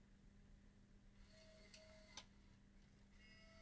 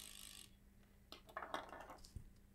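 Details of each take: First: Bose 3-disc CD changer with a reported grinding/stuttering complaint: eject cycle gives quiet whirs and a few light clicks as discs cycle out in turn, with no grinding or stutter, so the mechanism sounds normal. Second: Bose 3-disc CD changer on a 4 V bench supply: irregular scraping clicks and stuttering catches as a gear binds and grinds while the disc mechanism tries to turn.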